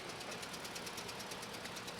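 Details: 2010 Scion xD 1.8 petrol engine idling roughly with a rapid, even ticking pulse of about nine beats a second, after parts replacement failed to fix it: a misfire from low compression in one cylinder.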